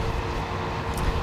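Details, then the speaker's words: Solar P1 3.0 electric scooter climbing a steep hill: steady mid-pitch controller and motor whine over wind and road noise, showing strain under heavy load. Motor and controller whine under load. "we can hear the controllers and the motor whine, starting to hear a little bit of stress here."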